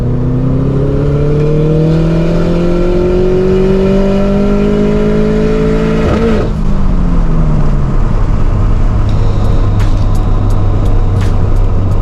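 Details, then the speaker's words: High-rpm misfire on a high-mileage Toyota GT86 on a test drive after an axle replacement: pulls cleanly with a rising note, then stutters and crackles at the top as revs drop; spark plugs never changed, owner suspects worn plugs. "so that was breaking up really really bad up top"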